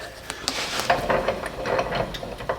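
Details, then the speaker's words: Duramax diesel truck, engine off, front wheel turned by hand: faint irregular clicks and small clunks only with rotation, wheel spinning too freely; play suspected in front driveline, wheel bearings and slip yoke judged fine. "Okay, that's weird. I'm hearing a little clunky. What is that?"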